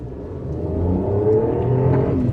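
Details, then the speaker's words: Daewoo Matiz just through its MOT, under acceleration: a faint hollow howl rising in pitch with the revs over the engine note; a slight, peculiar exhaust howl, cause unclear. "there's that noise there's a slight howl to the exhaust it's um very peculiar but nonetheless um uh nice i think overall"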